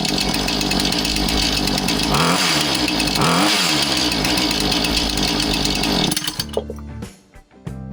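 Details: Husqvarna 435 chainsaw after repair for failing to idle down: revs high and buzzy, then drops and settles to a steady low idle, now returning to idle properly.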